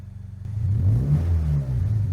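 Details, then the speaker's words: 2025 Toyota GR86 with HKS Hi-Power single exit exhaust and new JDL front pipe and overpipe, recorded by the exhaust: held around 2000 rpm, low uneven rumble with faint puffing; exhaust leak, audible at shutdown. "You can hear the leak it go when you try to shut off the car."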